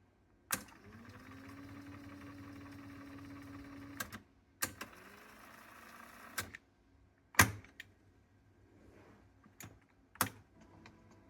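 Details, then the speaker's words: Sony TC-K777 cassette deck after replacing a failed transistor and setting a fully backed-out reel adjustment screw whose magnet was dragging the pulley: steady reel motor hum between transport clunks. The right reel no longer stops. "You see, it currently works all the time. No more stops on the right reel. Because it runs, see, easier."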